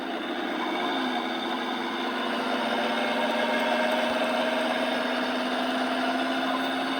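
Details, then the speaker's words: 2014 Dodge Charger Pursuit 5.7L HEMI, 5-speed automatic, 116,000 miles, 61°F, driving, heard inside through driveshaft tunnel after heavy rain; whine rising in pitch with speed; owner suspects rear axle, transmission or driveshaft hanger bearing. "yeah the sound changes with uh speed"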